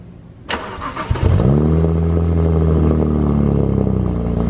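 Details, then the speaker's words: BMW 135i twin-turbo petrol engine cranks, catches with a brief rev, then idles with a light metallic rattle from the turbo wastegates. "sounds like this car house wastegate rattle"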